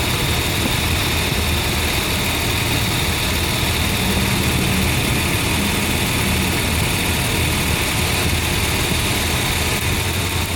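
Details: Nissan petrol engine with misfiring and low power: rough idle with a lumpy, uneven beat, like one cylinder dropping out; a high-tension lead leak is suspected and checked with a DIY pen tester, not confirmed.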